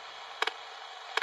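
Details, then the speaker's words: Toyota smart key system, radio after key removed from car: sharp double ticks about every three-quarters of a second over radio hiss; oscillator polling normally for a key, lasting about 30 seconds to a minute after door opening. "There's the key, it's just been removed from the car, and there's your constant asking for a key. Now this will only last for about 30 seconds, maybe a minute after we open the door,"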